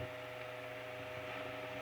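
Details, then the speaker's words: Restored GE brass blade fan AOU 75423 with new head wire, regreased gearbox and new line cord, on high oscillating at 120 V mains: a steady, even motor hum with a clean high tone and light airflow hiss, no rubbing; runs much better. "so we'll bring it up now my mains is 120 I can already hear it running much better"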